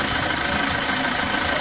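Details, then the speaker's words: Isuzu Traviz diesel at idle: a constant high scraping whine over the clatter. The noise comes from a loose, worn, unevenly worn air-con belt, not major engine damage; the oil was also very thick. "Narinig niyo mga boss maingay nga itong makina pero wala naman itong malaking sira dahil ang pinanggagalingan lang naman ng ingay nito"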